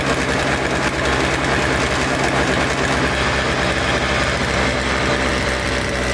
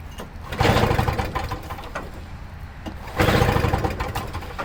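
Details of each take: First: Toro Snow Commander two-stroke snow thrower with fresh fuel, choked and primed: loud, steady buzzing at even speed, no stumbling; runs normally, later stalls when ignition switch is wiggled, carburetor may still need cleaning. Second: Toro Snow Commander two-stroke snow thrower, carburetor primed with two-stroke mix: two hard recoil pulls give brief chuffing bursts but it never catches; cranks, won't start, dirty carburetor suspected.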